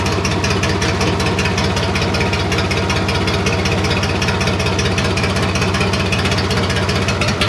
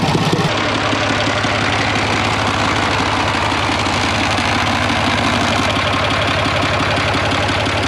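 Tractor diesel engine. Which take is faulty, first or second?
first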